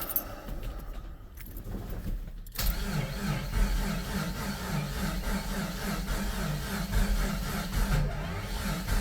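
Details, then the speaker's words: Jeep Comanche started after two years sitting, on a jump battery reading low voltage: after a clatter it lopes unevenly about once a second, really gallopy; rough running from incorrect ignition timing. "That's kind of weird. It's kind of weird. It's really gallopy."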